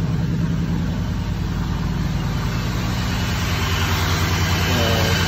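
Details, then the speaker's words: 2001 Cadillac DeVille with codes P0351 and P0303, slight smoke and an oil leak: running a little rough, a lumpy idle with a regular stumble; cylinder misfire. "So as you can see, it's running a little rough."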